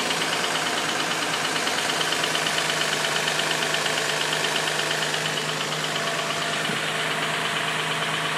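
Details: Infiniti G35 after sitting about a week, at steady idle with a light, fairly even tick-knock of about three a second; it knocked loudly at startup and then subsided; the owner ruled out the belts by ear and it passed the OC test twice, so the cause is unclear.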